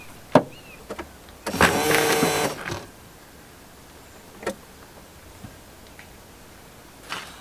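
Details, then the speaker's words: Rover SD1 being fitted with 14CUX EFI, ignition switched on with the wiper switch left on: short electric whir of about a second between light clicks as the wiper motor sweeps. "Okay, so what happens when you turn the ignition on and the wipers are on is it tries to take all of your tools all over the screen."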